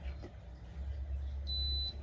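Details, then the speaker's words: Multi-purpose blender not running, motor shaft too stiff with torn rubber coupling, control board appears fine; single short high beep over faint hum, E2 sensor error, motor rotation not detected; owner suspects sensor. "Nó báo E2 báo cảm biến ấy theo mình là là là cảm biến mình không nhớ đâu Nhưng mà khả năng cao là bám cảm biến nhá"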